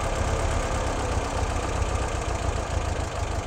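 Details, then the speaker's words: 1958 Porsche 356A with Zenith carburetors being tuned and synchronized, idle taken down from about 900 rpm: slow loping idle with uneven low thumps, unhappy that low; idle set too low. "that just seems too low to me and it seems a little like it's not quite happy down that low so I'm not going to go any lower than that"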